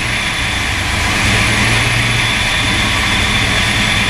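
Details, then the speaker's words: Turbocharged Foxbody Mustang (On3 turbo kit, new ECU, AEM wideband) at first start, exhaust dump open and untuned: loud uncorked V8 idle that swells and sags instead of holding steady. Idle surging, cause not confirmed. "I got wires everywhere so I'm gonna go back through and clean this stuff up still got some surging"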